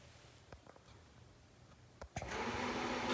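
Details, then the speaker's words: 2001 Roadtrek 190 van furnace just after a new digital thermostat install, set above room temperature: a couple of thermostat relay clicks, then the blower spins up into a steady even whoosh; normal furnace start-up producing heat. "boom! Furnace is on and producing heat. Excellent."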